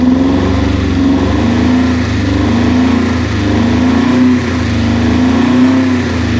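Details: Subaru Impreza GC8 idle hunts and stumbles unevenly, tone wobbling roughly once a second, misfiring, cause unknown.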